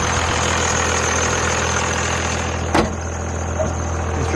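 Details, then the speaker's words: Diesel truck with turbo exhaust, just started; deep, loud idle with steady low drone and even clatter, no knocks or misses, smoky but sounds pretty good; normal diesel idle. "are pretty loud but i like how it sounds it sounds pretty good"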